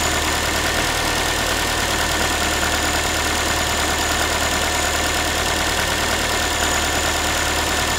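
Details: Ford Focus 3, 1.6 engine (125 hp), idle after a cold start: a rattly, tin-can metallic buzz with an uneven rhythm. The owner is asking what it is, and the cause is unclear.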